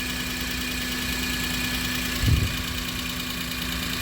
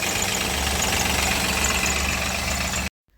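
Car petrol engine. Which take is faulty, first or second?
second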